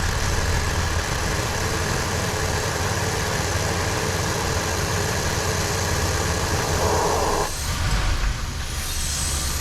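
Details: Buick Rendezvous that had been failing to start, now idling with misfire: uneven, shaky, faltering rumble that sags and nearly stalls, no vacuum leak heard.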